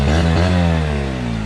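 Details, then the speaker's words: Small outboard after float adjustment fixed carb flooding: smooth even buzz, no stumbles or hesitations, running five minutes without problems; normal running after repair. "that motor runs perfect it's been running here for five minutes no problems"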